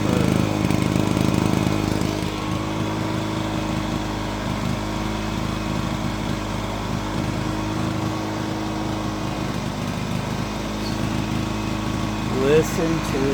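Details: Honda EX350 generator started after sitting a while: the small engine holds a steady, even speed with a smooth constant note and no hunting or misfires, running normally.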